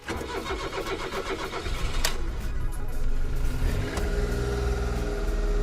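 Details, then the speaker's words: Suzuki Alto Lapin started after fitting a replacement ECU, very low on fuel: cranks and catches, then settles into a low, even idle with a steady throb, much lower than with the previous ECU; healthy start and idle. "It probably just did that because it's ridiculously low on gas, but yeah, starts up fine and it's idling way lower than the previous ECU."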